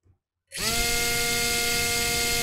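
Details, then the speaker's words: Small FPV quadcopter motor tested alone on the bench: spins up to a steady high whine with a buzzy rattle and vibration underneath, caused by the motor hitting the capacitor. "that sucker's vibrating a bit oh is that hitting something that's what it is it's hitting my bloody capacitor"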